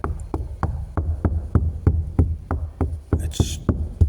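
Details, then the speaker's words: Fiberglass hull of a 4 m Orkney dory under restoration, stern area where the live well will go, worn inside and out. Steady tapping about three per second gives dull, dead thuds with no ring. The glass, thought to be about 7–8 layers, is delaminated from the inside. "delaminated from the inside. I think there's about 7 or 8 layers of glass, and it's delaminated from the inside."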